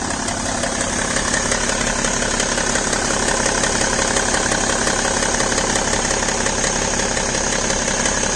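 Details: BMW E60 525d diesel on fresh 5W-30 oil at cold idle: light, fairly regular tick around three per second over the diesel clatter, gone once the engine reaches about 80°C; cause undetermined.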